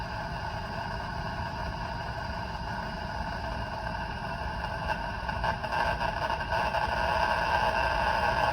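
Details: Polymer surge arrester under a variac-ramped confirmation test toward 14.4 kV: a steady electrical buzz with stacked hum tones swells louder as voltage climbs. The arrester is discharging and causing RFI; the noise started at 6.7 kV.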